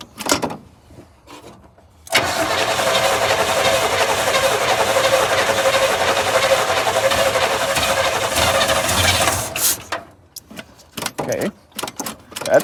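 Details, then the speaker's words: 1980 GMC Sierra Classic truck, on a new battery with fuel poured in to prime it: the starter churns steadily about eight seconds, roughly four turns a second, without catching; a long crank, hard to fire even primed. "so let's pick up this bottle of fuel I just dropped all over the ground and see if I can get this thing to fire okay might take a little bit more than I thought"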